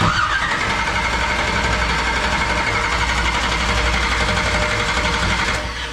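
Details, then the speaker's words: 1969 Camaro restomod with 496 big-block, first start attempt in the car: steady starter churn at about four turns per second with no firing; cranks but won't start, no fuel reaching the carburetor yet. "i'm definitely ready to hear this thing fire ready yep still no fuel yet"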